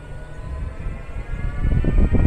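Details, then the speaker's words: Geely Geometry EV pulling away and braking hard: low irregular creaking thumps over drive hum, traced to the right front lower control arm bushing rubbing; not the motor mounts. "现在去听的话，很明显就是右前下支臂这个大臂一起步一刹车那里传来的。但是这个声音呢，的确是摩擦片，就是不是什么摩擦片了，就是胶套摩擦出来的声音哦。"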